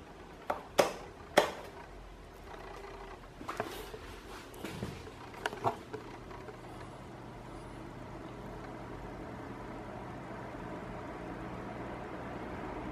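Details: Cadence Auros 1500 W fan heater running, microphone about a hand-span away: after a few handling clicks, a smooth steady whir with low hum; normal operation, reportedly quiet at first but louder after 30–40 minutes, around 76 dB.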